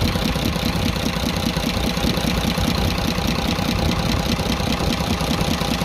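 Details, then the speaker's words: Cummins 340 24-valve diesel truck engine that lost power and smoked, valve cover off at idle: diesel clatter with light tick about once a second, loudest at cylinder one; loose rocker arm, tappet clearance. "और यहां पर आप गौर करें एक number की तरफ से ज्यादा आवाज सुनाई दे रही है"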